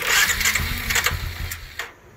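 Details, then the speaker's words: 2012 Suzuki King Quad LT-A400F cranking: starter whirs under two seconds without firing; rebuilt All Balls fuel pump gives only 16-18 psi versus 43 psi required, so it won't start or idle. "after each attempt it'll slowly build but the most fuel pressure i can get out of this all balls pump is about 16 to 18 psi the machine simply won't idle there's not enough pressure"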